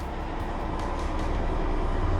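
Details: Whirlpool WTW4800XQ4 top-load washer with a complaint of banging on the sides from a tilted drum and a broken suspension shock, in test mode after clicking from agitation to spin: a smooth low rumble building with drum speed, no banging; a healthy spin.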